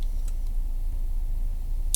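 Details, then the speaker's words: Sinotrack ST-907 GPS tracker relay wired to the car battery: after a remote engine cut-off, sharp irregular relay clicks over a low vehicle rumble as it cycles on and off for about a minute before switching off, normal behaviour. "ще чуете: ето щрак, и то щрака напред-назад, включва се... изключва се и така нататък."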